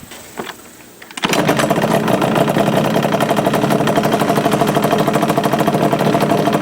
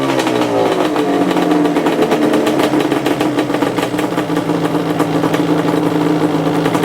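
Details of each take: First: 2002 Yamaha Banshee two-stroke before kickstart rebuild: fires after a kick, then fast metallic chatter about three per second over the idle; worn kickstart mechanism rattling. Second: 2002 Yamaha Banshee two-stroke after its kickstart rebuild: a crisp, buzzy note climbing and falling cleanly with the throttle, no misfire or rattle, the engine pulling and running healthy.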